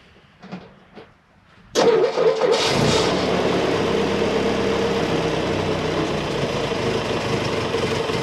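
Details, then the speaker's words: M151 petrol engine after carburetor fix, started with about three-quarter choke: a few clicks, then catches and settles into a steady, even idle, much better. "so hmm that sounds a whole lot better"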